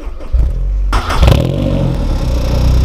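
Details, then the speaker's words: Honda S2000 at start-up: engine cranks and catches, then a light metallic diesel-like chatter over idle for a few seconds, not always present; timing chain tensioner rattle, advised to replace it as it can damage the chain. "Donc vous entendez le cliquetis, non? Donc voilà, c'est ce bruit que ça fait un bruit de diesel un peu, mais c'est pas tout le temps."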